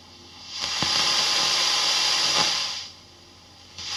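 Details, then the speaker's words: Fender ProSonic valve amp on the bench after a full recap, miked at the bench cab. On the second channel, hiss swells and sharp crackles come as the volume and treble turn: scratchy pots. Extra hiss is normal, from the bright cap. "Both the volume and the treble are they're not noise free. It's a fair way of putting it. There are is some rustling going on, bit of crackling."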